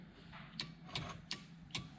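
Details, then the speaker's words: Mazda with 347 engine build, electrics test: four crisp clicks about every 0.4 s as button pressed, transbrake relay and line lock solenoid pulling in cleanly after button wiring fix; normal relay click. "be here the transbrake relay clicking in and can hear the actual one lock solenoid came in as well"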